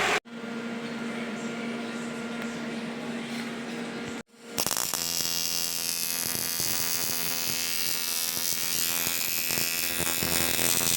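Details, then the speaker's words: Nissan S12 Silvia turbo build, radiator fan motor after reassembly with a brush refitted in its holder and its spring holding it: faint hum then steady even whir, no cutting out or scraping; fan working, blowing nicely. "Definitely working now. Perfect. Blowing quite nicely actually."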